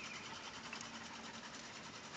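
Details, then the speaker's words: 1985 Chevy Caprice Classic, engine off, key on; faint, fast, steady ticking from the front for only the first roughly 20 seconds after key-on; source unknown. "I can't figure out what that ticking is. It's ticking from the front. It only does it for the first about 20 seconds that you have the key on."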